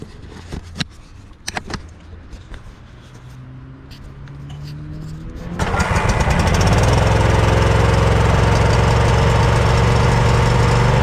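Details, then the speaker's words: Snapper LT200 riding mower that cranks but won't start, with the fuel pump fed from the tank: faint clicks, then the engine catches and runs steadily only on fuel left in a filter poked into the carburetor. The pump is weak, and the gas is full of debris. "Well, it wasn't pumping all that great, and the reason the engine was running is because I had this fuel line with this fuel filter poking into the carburetor, and it was running off the fuel that was in that fuel filter."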